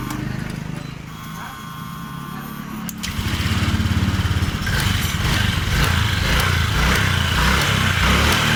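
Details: Honda Vario 125 scooter, complaint sluggish and underpowered, started after fuel pressure check: pressure now over 40 PSI versus 20 PSI initially; quiet, then catches and settles into a steady, even single-cylinder beat, no misfire or stumble. Normal idle.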